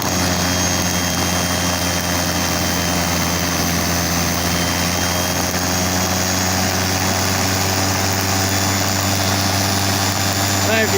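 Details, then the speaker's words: Salvaged universal washing-machine motor on bench, voltage turned up to high speed: steady loud whine with strong rushing wind over low hum, airplane-like, even pitch; normal running at high speed. "I'm very windy now sounds like an aeroplane going off now cry loud"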